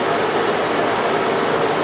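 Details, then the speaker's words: Kodak Showtime 8 film projector cooling fan: steady, even rush of air with faint constant hum, no ticking or rubbing, drawing air in a slot and out the lower rear, holding paper against the vent; fan running normally. "Entonces, como pueden escuchar, es un motor que sí produce bastante corriente de aire, y en este caso vendría a ser como una corriente, bueno, no corriente, sino una presión negativa"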